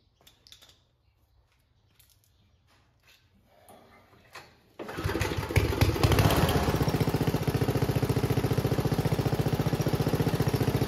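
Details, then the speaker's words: Homemade junkyard go-kart small engine after reassembly. After a few pulls it settles into a steady, even beat with no pops or misses; the backfiring seems fixed. "so all right that seemed to fix the problem of the backfiring"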